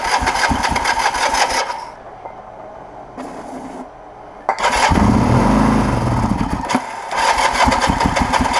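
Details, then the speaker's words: 1980 Kawasaki KZ LTD440 after rebuild, sprayed with starting fluid and a little choke: engine catches and revs in surges, sags almost to stalling, picks up again; runs only on the spray, not on its own fuel. "that it's not running on the fuel it's running on that i wanted it to run on the fuel and it's not doing that but it's running"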